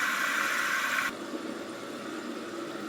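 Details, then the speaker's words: Toilet after replacing the fill valve and flapper to cure running and noise: the water-rushing refill hiss cuts off cleanly within about a second, with no noise afterwards, unlike the old valve; normal refill and shut-off. "Okay, it stopped. Right? I don't hear any noise come out of here, unlike the old one. So that's good."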